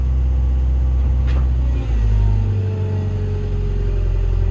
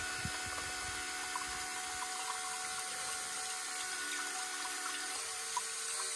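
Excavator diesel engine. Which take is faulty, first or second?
first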